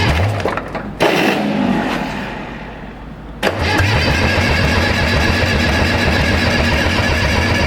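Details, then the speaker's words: Case 830 tractor long stored in barn: steady cranking that never fires; injection pump plungers hanging up and not pumping; crank no start. "we got no pumping zero pumping that ain't pumping at all none of them are pumping now it's down yeah it's these are hanging up"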